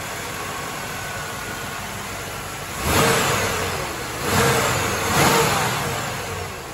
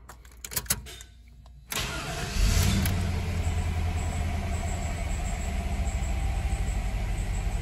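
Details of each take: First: 1995 Chevy Caprice Wagon after belt and tensioner replacement for a chirping belt: steady even idle, then three quick throttle blips that rise and settle cleanly, no chirp or squeal; runs healthy. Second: 1995 Chevy Caprice wagon, LT1/L99 V8, starting and idling: light, quick high-pitched chirp repeating over the engine note, from a worn serpentine belt and/or tensioner, both to be replaced.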